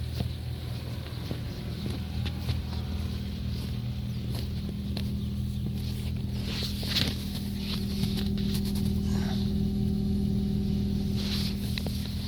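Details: Ford Focus 3 at idle, knock appeared after oil change at second service; fast, fairly regular knocking about three per second, clattery like a cold diesel, cause not identified. Engine knock at idle.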